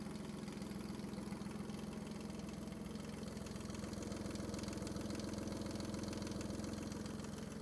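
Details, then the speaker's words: Kubota D600 diesel swapped into a Case 220 (Colt Ingersoll) hydraulic-drive mower tractor, 16.5 hp, roughed in with no coolant or radiator: steady even diesel idle about three and a half pulses a second, no misses or knocks. "no coolant in it no radiator but I couldn't resist just firing up just to hear it run again"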